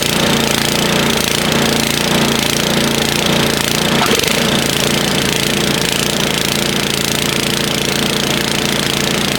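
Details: Snowblower started after sitting idle all summer in storage: loud, rapid single-cylinder chatter holding steady with no misses or surging, running normally.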